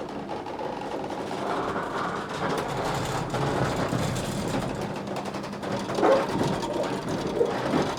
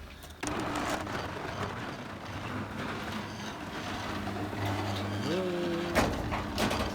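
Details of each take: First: Garage door opener after a first-time DIY repair: even motor drone with chain rattle for about twelve seconds, then a smooth wind-down over the full stroke. The locking bar keeps falling out. Normal operation. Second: Garage door opener after a DIY repair, owner suspects wrong alignment: steady motor hum, then the tone strains upward instead of cutting off, ending in a clunk. The door overruns closed, with the bar not hard up against its stop.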